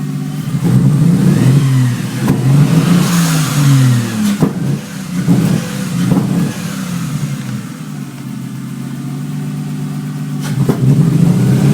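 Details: Toyota 1G-GTE with EMS 4424 Stinger ECU and 7M-GTE 440cc injectors, hard to start after rewiring for an LC-1 wideband; revs unevenly, misfiring with sharp exhaust backfire pops, worse when stabbing throttle than slowly increasing it.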